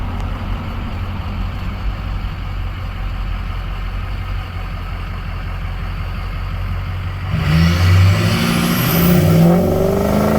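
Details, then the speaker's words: Ford 6.0 Powerstroke diesel, warmed up, high horsepower tune, smoke switch set with turbo on; deep, even rumble then a louder pull with a rising whistle as the turbo spools. Normal turbo operation. "Right now the turbo is on, you can hear it."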